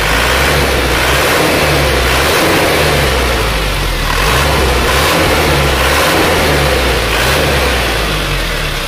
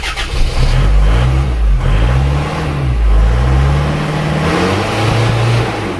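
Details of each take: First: Isuzu Panther diesel after injection pump timing was corrected and fuel delivery was increased by a little over a quarter: deep, even drone rising and settling with the revs, clatter gone, runs smoother and pulls stronger. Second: Isuzu Panther diesel after nozzle, valve and injection pump timing setting, just started; harsh, hard-edged rattle as it revs up and settles, injection pump timing set too far advanced.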